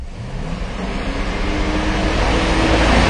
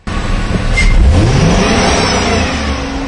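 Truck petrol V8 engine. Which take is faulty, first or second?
first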